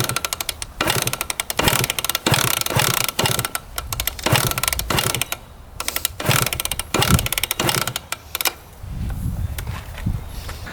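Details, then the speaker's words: 1999 Suzuki RM125 two-stroke with Pro Circuit pipe, sold as a non-runner, kicked with fuel on and choke set: repeated ratcheting kickstart strokes with no resistance or compression puffs and no firing; low compression from a damaged piston and cylinder sleeve. "Yeah, I'm not feeling much compression there. No resistance at all."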